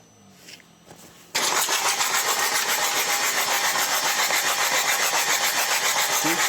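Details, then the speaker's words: Opel Vectra C Z19DTH diesel after engine rebuild, fuel system bled, bad injector corrections: steady cranking about three and a half turns a second, never catching, injectors delivering no fuel. "Дивіться, прокачали паливну систему. Зараз крути стартером. Одна робить, друга робить, третя щось єлі-єлі теж не робить."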